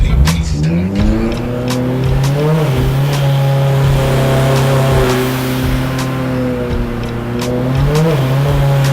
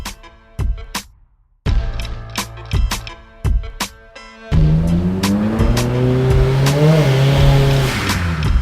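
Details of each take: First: Turbo Honda S2000 on the dyno under load around 3,000 rpm, exhaust restrictor removed, air-fuel ratio correct. The note breaks up with irregular cracks and stumbles: spark blown out by too-wide plug gaps; fixed by regapping and different-heat-range plugs. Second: A turbocharged S2000 on the dyno under boost gives a smooth, rising engine note that pulls cleanly through the revs without stutter, music over it. The ignition misfire is cured by checking plug gap and fitting higher-heat-range spark plugs.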